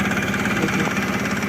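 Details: Mahindra Supro diesel at idle after starting: rough, evenly repeating clattering pulses with a hard tick in each beat. Abnormal engine noise; the owner suspects the injectors or injector pressure system, not confirmed.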